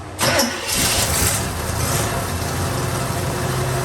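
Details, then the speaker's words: 1957 Chevrolet Bel Air, abandoned for about 19 years, with a suspected bad fuel pump: a sharp catch, then a steady, even low rumble into a smooth idle with no knocks or misses; sounds healthy. "that engine sounds good sounds really freaking good"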